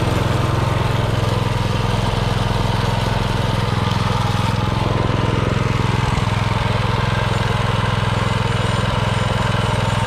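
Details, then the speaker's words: Subaru 7.0 engine on a Baja Doodle Bug mini bike after a weekend revamp, on a test run: the small single runs at a steady, even speed with a regular fast thump but is slower and lacks power; owner suspects something changed with the carburetor. "definitely something changed with the carburetor and i'm not really sure what i'm gonna have to look into that but for right now it's back to a running bike"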